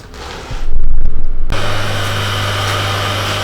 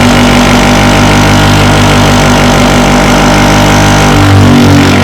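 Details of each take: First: Grinder after swapping a crashed wheel for a new 150 x 20 A60 wheel, dressed a couple of times: a clatter at start-up, then a steady, low, even hum with very slight acceptable vibration. Normal running. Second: Grinding machine that previously ran dead true and silent, fitted with a new wheel dressed concentric with a diamond dresser: heavy rhythmic throb about four per second under motor hum, then spin-down; wheel suspected crooked, grinding wheel out of balance.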